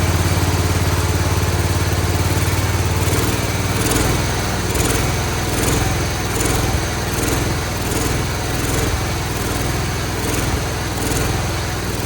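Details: Cub Cadet 1211 garden tractor single-cylinder engine after carburetor removal work, starter drive repair, and WD-40 and oil in a cylinder once thought seized: even thump settling into steady loping run, no knocks or misses; running properly, expected to smoke.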